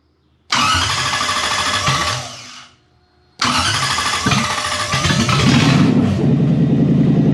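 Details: Toyota 1UZ-FE V8 for a Lamborghini kit car, rewired with Link Monsoon ECU and coil-on-plug, after fuel pump primes: cranks and catches cleanly after a short pause, settling into a steady, even idle with no knocks or misses; engine healthy.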